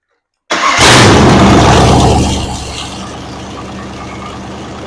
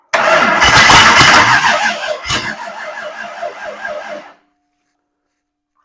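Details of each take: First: Ford 302 V8 budget rebuild, with new plug wires, while setting timing (about 12° final) and idle, vacuum 16 inHg: it catches at once, flares briefly, then settles into a steady, even idle with no misfire. Snappy and healthy. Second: Ford 302 V8 budget rebuild, first start with only a little gas poured into the carburetor float bowls: it fires, runs a few seconds, fades and dies, cranks without catching, then fires again briefly. Stalling from fuel starvation.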